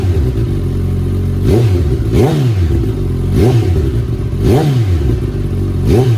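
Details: 2019 Suzuki Katana 1000 indoors with an M4 muffler, restrictor baffle out: the engine catches cleanly, then several sharp throttle blips rise and fall smoothly with a deep, loud exhaust note. Healthy running.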